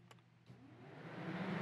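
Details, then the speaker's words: Aftermarket 9-blade electric cooling fans swapped into a 1999–2002 Chevy/GMC NBS truck, switched on from a scan tool's vehicle controls: soft whoosh swelling smoothly as the fans spin up, even, no rubbing or rattle; normal electric fan operation. "I can actually turn the fans on from here so you can go into my fans fan one on you hear that I don't know if you guys can hear that but I can hear it"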